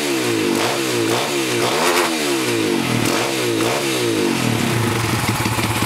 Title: PitsterPro x2 making weird noise